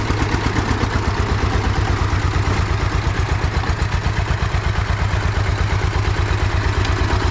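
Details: Russian DT-14 tractor single-cylinder diesel idling after a cold start following 10 years sitting: steady, even thumping with no knocks or misses; sounds healthy.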